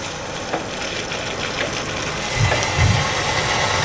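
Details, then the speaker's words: Rinnai tankless heater powered by a Hugo-X1 battery backup during a simulated power outage: quiet hum, then about 2.5 s in a soft whoosh and low rumble as the burner lights and runs evenly, normal firing. "you can probably hear the tankless"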